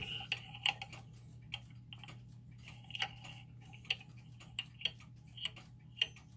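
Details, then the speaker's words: German time/strike pendulum clock after leveling and adjusting the pendulum crutch: sharp tick-tock about two beats a second over a low hum, tick and tock evenly spaced, so the clock is in beat. "all right so now we've got the clock that's in B we think it's pretty level"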